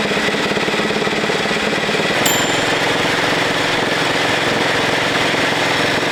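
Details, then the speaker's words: 1941 Caterpillar dozer, sat for years: pony motor running with harsh rattling grind, pulsing then continuous, as its drive fails to mesh and turn the main engine flywheel; engagement problem suspected, not confirmed. "But I done that. It wasn't turning the flywheel. I wonder it's grinding. It's not like quite engaging."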